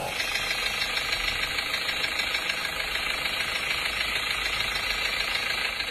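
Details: Diesel idling after recent engine overhaul: sharp, steady tek-tek knock about three taps a second; piston slap suspected from worn pistons, which were all replaced.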